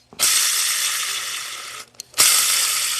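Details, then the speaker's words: 2015 Mustang 5.0 manual: clutch part removed and spun by hand gives a dry, gritty hiss that fades, repeating on a second spin; sounds like a rough release bearing, the annoying noise heard when letting the clutch out, not confirmed. "that's an annoying noise when you let the clutch off in in a standard car I know you guys have all heard it"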